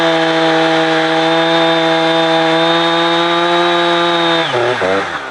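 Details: Husqvarna 455 Rancher two-stroke chainsaw, warmed up, after a fuel filter change; it had choked when warm. Strong steady high howl at full throttle without bogging, then drops cleanly off revs; old filter found brown and discolored.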